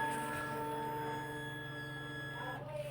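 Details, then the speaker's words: BS6 fuel-injected motorcycle at ignition key-on, engine off: steady, even electric hum from the tank; fuel pump priming normally, a sound absent on the carburetted bike. "और जब हम बात करते हैं जो BS6 bike हमारी, इसमें जब हम स्विच लगाते हैं तो आवाज़ सुनना आपको एक मोटर की आवाज़ आएगी इसके टैंक में से।"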